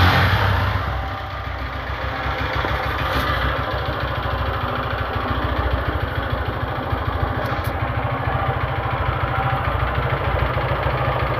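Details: Honda Fan 150 motorcycle: small single idles with a loud, steady clatter about three knocks a second over the exhaust note; heavy internal engine knock, cause unknown, linked to neglected oil changes.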